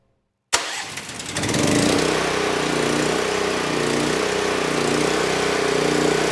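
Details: NorthStar 8000 PPG brushless generator with a 13 hp Honda GX390 that had sat for years, electric start on a new battery with no choke: starter cranks briefly, engine catches at once and settles into a steady even run; normal start.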